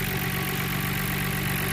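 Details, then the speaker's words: Nissan R32 GTR after gasket replacement for a vacuum leak and AAC valve adjustment per the service manual: smooth, even idle around 950 rpm with no stumbles or hunting. The car runs quieter; normal idle. "the lowest I got it's about the idle where needs to be about 950 that's good which is great car turns quieter overall"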